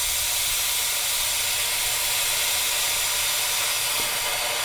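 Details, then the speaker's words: 1970 Ford Mustang V8 running straight water, hot restart, about 215 at the thermostat housing against 160–180 elsewhere; constant loud steam hiss drowns out the engine as coolant boils over; cause unclear, thermostat housing suspected and thermostat to be pulled. "Something is causing an issue right there at the housing. It was like at 215 right then, but everywhere else is like 160, 170, 180."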